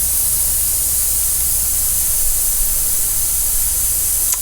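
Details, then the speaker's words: Dodge Mega Cab diesel truck losing power, boost dumps around 30–32 psi; charge-air system pressure-tested, leak audible by 10 psi: steady strong air hiss from leaking intake boot; boost leak. "i'll eat my words on that one a little bit because i did not expect it to be a boost league"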